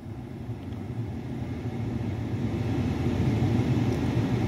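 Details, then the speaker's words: 2010 Dodge Ram 5.7 Hemi after blend door actuator repair (broken spindles, K-17 recall part, previously clicking about 10 minutes at start): truck idles low and steady, no dash clicking, all HVAC functions working properly. "I was having a clicking there we go all the functions are working properly"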